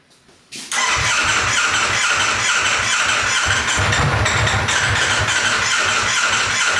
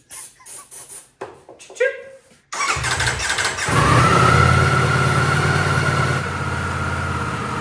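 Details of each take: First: Wrecked 2024 Ducati Panigale V4 being rebuilt as off-road bike, first run, full tank: uneven stumbling low pulses under loud mechanical rattle, not settling to clean idle; sounds like limp mode, bad gas suspected, unconfirmed. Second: Wrecked 2024 Ducati V4 Panigale rebuild, after electronic cleaner sprayed in when it died on throttle: engine catches after a few cranks, then runs and revs smoothly with steady even note, no knocks; normal running.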